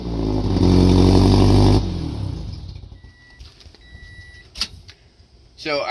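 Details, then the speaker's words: Race car's first start after header repair with both O2 sensors reinstalled: engine catches and runs with an even, deep note, no ticking or puffing at the headers; exhaust sealed, scan gauge shows no O2 sensor codes, normal running. "I've spent so much time in this car, I can already hear that it's not leaking. This is all good."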